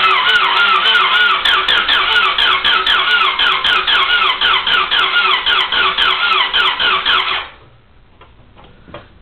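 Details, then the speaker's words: Honda DC2 with the fuel pump priming and the battery nearly fully charged: steady even cranking at about four beats a second for seven seconds without a single firing; cranks but will not start. "that's all it does batter's pretty much charged full and I need help thanks a lot"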